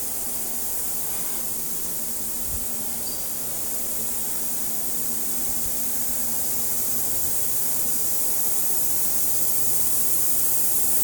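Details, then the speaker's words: Ultrasonic cleaner, bracelet inside about 3 to 5 minutes, vibration penetrating cracks and crevices: steady high hiss with faint even buzz, no change in level; running normally. "The longer it sits in there, a little bit more of the vibrating and it'll penetrate those cracks and crevices that we needed to to be able to do a better product for our customers."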